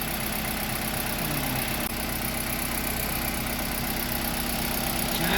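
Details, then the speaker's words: Kia Rio G4LC engine after rebuild, started and running with no warning lights after the exhaust manifold was tightened (no oil pressure on an earlier start): steady, even idle with a soft, unbroken rhythm, no knocks or ticks; quiet, healthy. "it's running everything is running look at that there no lights that this Tru so yeah we're good to go"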